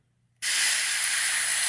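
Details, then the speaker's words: Porter Cable FN250c 16-gauge nail gun: a sharp, steady hiss starts the moment the trigger is pulled. Worn O-rings in the trigger cartridge leak air, so too little pressure reaches the main chamber; the trigger cartridge needs replacing. "you hear that that's air leaking out of the trigger cartridge right here there's a bunch of different O-rings uh in here and that's what's failed"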